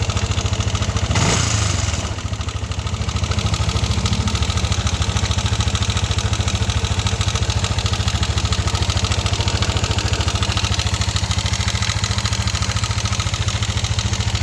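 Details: NMAX V1 scooter engine starting and idling with a busy, marble-like clatter and knock over the exhaust note; the cause is unknown.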